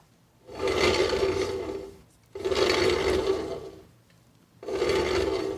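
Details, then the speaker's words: Boat trailer wheel with new bearings and brake drum, spun by hand: three loud rasping bursts; bearings grinding because they were installed incorrectly, while the other side's locally bought bearings were quiet. "one this side that we're looking at here was something that i ordered on amazon from somewhere and it sounds like this"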